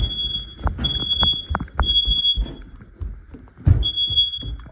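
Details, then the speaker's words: Hallway smoke alarm during an August 2 test: repeated piercing high beeps in short bursts over handling thumps, won't stop; alarm sounding continuously. "Oh my gosh, this detector keeps shut. Oh my gosh. Why can't you just shut up for once?"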